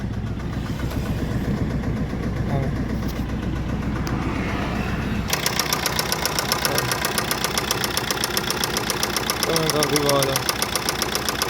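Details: Maruti Swift diesel starting and idling with a heavy, regular knock in time with the engine; teardown found a worn crank bearing and a scored crankshaft, with the engine removed for overhaul.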